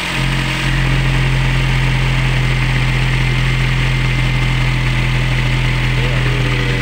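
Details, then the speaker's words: Toyota Yaris engine previously rough, overheating and losing radiator coolant, after seals/O-rings replaced: steady, smooth low hum at idle with even beat, no rattle or ticking; rough sound gone. "suara sudah halus ya teman-teman"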